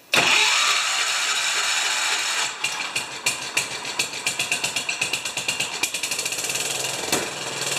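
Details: 10 HP Kohler K241 single-cylinder engine after fitting a new modern fuel pump, battery reading 12.99 V: catches after a brief crank and settles into a quick, steady beat, running evenly.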